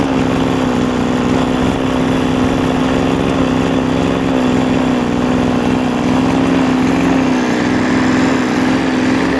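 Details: Recovered 26.5cc two-stroke engine, warm, after filing down a scratched piston that had caused no compression, running on fuel with motorcycle oil added: high-revving buzz with a steady metallic beating rattle, confirmed on inspection as the clutch.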